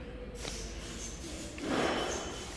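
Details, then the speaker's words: Toyota SW4 Flex at its 70,000 km service, microphone next to the removed fuel tank float: short dry creak as the float arm is moved by hand, from heavy play in the rod; the gauge also didn't read, and the float was replaced with an original part. "Esse rangido que vocês viram aí. Mais uma folga acentuada aqui na haste."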